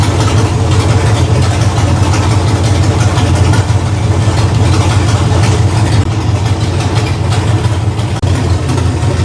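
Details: V8 with shortened red plug wires fitted with new terminals: deep even burble at idle through open pipes, steady beat with no skips or stumbles, no sparks seen; clean healthy idle.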